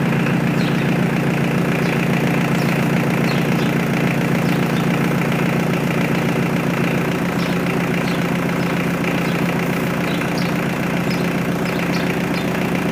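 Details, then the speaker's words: Mitsubishi L200 K74 diesel 4x4 stored 15 years, new air and fuel filters and oil change, restarted after an unexplained noise that never recurred; steady, even, unbroken diesel clatter at idle with no misses or knocks; normal idle. "je décide de relancer le moteur malgré tout pour voir si la montée en régime est progressive et qu'il n'y a pas de problème évidemment"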